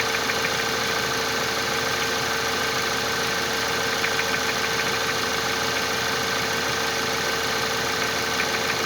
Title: Стук в двигателе CJEB 1.8TFSI